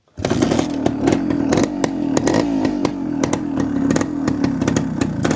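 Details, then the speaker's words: 1973 Suzuki TS250 Savage two-stroke, barn find after 25 years, carb recently worked on, not started for a few days, choked with a little throttle: catches at once into a raspy, slightly uneven cold idle with throttle blips; normal cold start. "I hadn't started in a few days, so we'll we'll see how it does. It's probably going to be a little smoky"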